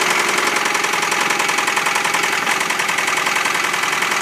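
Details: 1993 Honda Prelude, H23A1 petrol engine idling with a steady, rapid ticking knock about three to four beats a second; owner unsure of the cause and asking for help.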